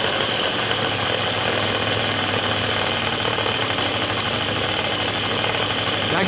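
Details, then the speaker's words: Quantum RS two-stroke on a lift, first start after cleaning and refitting the carburettor with the oil-pump hose and vacuum line reconnected. Steady high-pitched buzz that never drops to idle; revs pulled up to maximum because the idle was set too high. "działa oczywiście obroty były podciągnięte na maksa"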